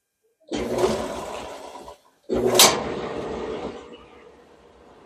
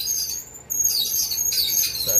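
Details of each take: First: Kenmore dryer (Maytag/LG-style design) running normally after the idler pulley wheel fell off and was refitted, tested before the top went back on; steady airy rush, brief stop, then smooth running with no squeaks or scraping. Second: Worn idler tension pulley on a Kenmore dryer (similar design to Maytag/LG) a week after a belt replacement: high, thin chirping squeaks over the quiet running drum; replacement with an OEM idler pulley planned.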